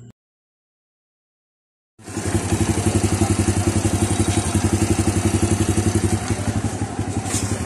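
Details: Honda Wave 100 idling after replacing the timing chain and its roller guides, which caused a rattling noise in the cylinder head; steady even putter with no top-end rattle, healthy idle.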